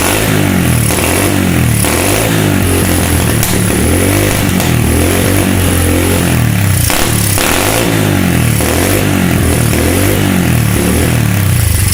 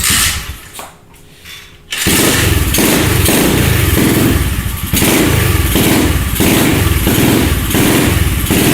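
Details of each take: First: SSR 125 pit bike single-cylinder revving, surging and uneven with rough blips after the carb was refitted; engine dies with the choke off because the pilot jet was still blocked despite carb cleaner. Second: SSR 125 pit bike after the blocked pilot jet was cleared with a wire: engine catches and holds a steady single-cylinder putter of about four beats a second, idling cleanly with the choke off; normal idle.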